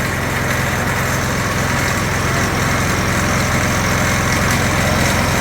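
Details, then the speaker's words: Go kart engine after fitting a homemade exhaust from a junkyard muffler and luggage rack: steady, fairly fast idle with muffled exhaust note and some engine and torque converter rattle behind it; far quieter, no longer sounds like a lawnmower. "yeah that don't sound like a lawnmower no more I mean it's still an annoying you get all that noise that the actual engine itself makes not the exhaust like the rattling of the torque converter and all that stuff"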